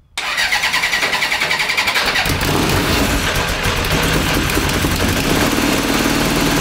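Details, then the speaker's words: 1982 Honda CB750 DOHC engine in a cross kart, during a brake-cleaner spray check for vacuum leaks: catches and runs with an uneven, hunting beat, barely staying lit as it drops toward idle; the carburetor is blamed for the poor idle. "i don't think see it goes to idle and it's just not idling we were looking for an rpm spike when it yeah it kind of hold you a little bit"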